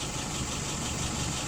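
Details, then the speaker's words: Rebuilt and adjusted WO 636SA carburetor on a 48 flathead, no leaks: smooth, even hum at steady idle around 675-680 rpm, no misses, ticks or surging; fuel pressure a little over 2.5, vacuum 23, dwell about 42; idling normally. "Looking 675, 680, looking good."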